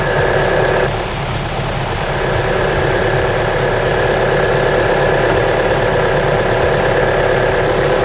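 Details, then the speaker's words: Mitsubishi Outlander petrol engine idling at -5°C after spraying the drive belt (replaced 10,000 km ago) with belt conditioner: steady even hum, the earlier belt whistling now gone. "Friends, as you heard, we fixed the noise from the drive belt in our Mitsubishi Outlander after we sprayed the belt itself."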